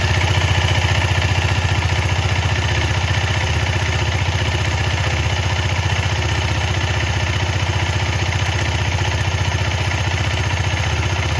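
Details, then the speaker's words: KTM Duke 250 after cleaning chain with Motul chain clean and WD-40 and lubing with Motul chain lube: single-cylinder idle thumping evenly about three beats a second, no slap or rattle; chain quiet. "इधर देख सकते हो एकदम चकाचक है एकदम पूरा, कोई नॉइज नहीं आ रहा है, आप लोग देख लो।"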